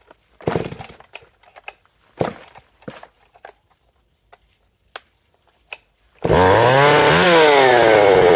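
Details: Husqvarna 262XP two-stroke chainsaw after its broken starter was swapped; after clicking it fires, runs smoothly, revs up cleanly and holds steady, recorded in a shed at night: normal running.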